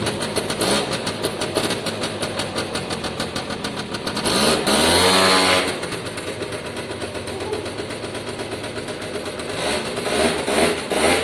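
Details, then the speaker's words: Free Piaggio Diesis 100cc two-stroke scooter after revival, exhaust has a small hole; steady ring-ding idle, crisp pickup on a blip and even return, runs well. "Oh, I'm quite happy with that. To an extent, I think that's job done, really. Sounds great."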